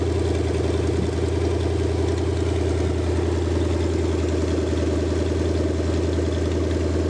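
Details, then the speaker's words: Rebuilt Lincoln 368 Y-Block V8 on a run stand, not yet warm, 70 psi oil pressure, just over 1000 rpm: steady even idle with no knocks or misses; runs smoothly, show-quality and ready to install. "well i hope everybody got a pretty good perspective of how well this motor runs"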